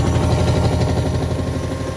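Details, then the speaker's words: Hotpoint WMXTF942P front-loader after greasing worn shock absorber dampers: steady low hum with an even gentle pulse at full spin speed, a lot smoother with less vibration; normal spin cycle after repair. "A lot smoother, less vibration."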